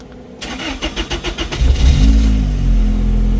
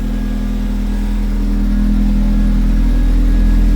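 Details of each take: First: R34 Skyline-powered truck, start after a leak check: the starter churns in uneven pulses for over a second, then the engine catches into a rough idle; the owner suspects air bubbles. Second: Truck: a steady, even low idle with a smooth pulse and no knocks or misses; lambda reading near a perfect 1, running fine.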